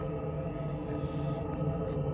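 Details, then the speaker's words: Truma Combi D6E Gen2 diesel heater in a camper, not yet at full power, run with an open exhaust after the original gas exhaust pipes were kept: steady loud droning hum with low throb heard inside; too loud without a silencer. "Donc à l'intérieur, on peut constater le bruit que ça fait. Ça fait quand même un vacarme, hein."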